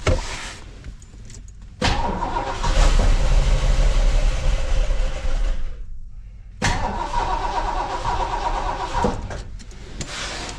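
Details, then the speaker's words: 1973 Ford LTD barn-stored about 38 years: catches, runs rough a few seconds, fades and dies, recatches briefly; fuel pump looks bad, carburetor likely needs rebuild; starts then stalls. "should have ran a little longer than that hold on a second here huh so is it just not running off what's on the carb then or what"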